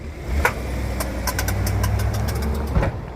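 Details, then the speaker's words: Suburban reversing: low engine rumble broken by one sharp click each time it backs up, heard in the rear between the rear tires; U-joint or differential suspected; rear driveline clunk. "there's one definitely there it is one click going back and then it's always just one click going backwards I do hear it in the rear more than the front definitely go ahead"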